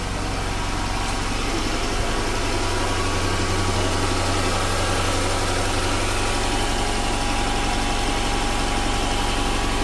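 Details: Chrysler 300 3.6 V6 after oil cooler housing and line replacement: steady, even idle with a smooth low hum and no misses, knocks or ticks; engine running healthy.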